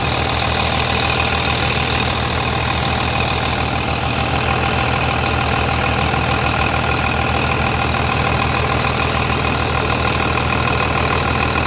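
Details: 3588 at 7,338 hours, idling on a freshly rebuilt engine with new cylinders and pistons; steady, even clatter at about three pulses a second, no knocks or misses, very quiet; a slight line leak was found, to be tightened; normal idle.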